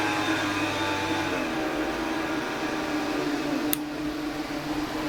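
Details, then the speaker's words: 12-volt 3-inch vent fan for the battery and electronics cabinet (charge controller, inverter, batteries) in an ambulance conversion: steady, even airy roar with faint constant hum, vacuum-cleaner-like; normal fan running at full speed. "So what you were just hearing was my updated fan that's a vent fan for my battery cabinet, my electronics cabinet."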